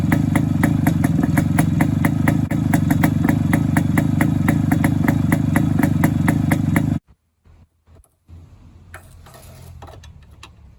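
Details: Suzuki K125 Type 4 two-stroke motorcycle after muffler exhaust-leak repair: crisp, regular popping idle at about three to four beats a second, then switched off; sounds healthy and leak-free.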